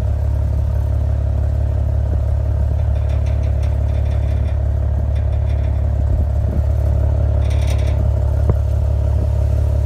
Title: Clacking/Rattling sounds coming from the exhaust pipes of my 2015 Maserati Ghibli